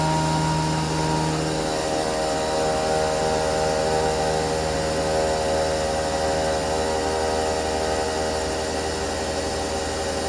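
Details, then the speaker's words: Cheap used CNC milling machine making a cut at 85% feed override with a light stepover (about three thou), chips blowing clear; steady, even spindle drone with a smooth cutting tone, no chatter or squeal. Normal milling cut. "nice actually looks like it's doing a really nice job like I said I think I got the step over at like three foul step over it's not a lot but it's enough it's blowing those chips right off of there sounds good"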